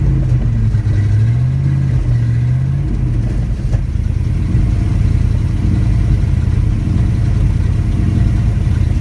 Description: 87 Chevy Silverado k10 350 reving up and down gain power loss power... but why???